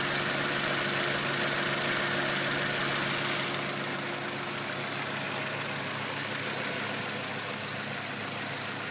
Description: This short video is supposed to give you an idea of exactly how a well built 4A-GE should sound once it has been run in and warmed up.